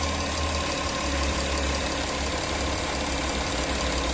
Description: My Audi Q7 2012 3.0TDI engine ticking/knocking noise, filmed both sides of the engine , 215k km.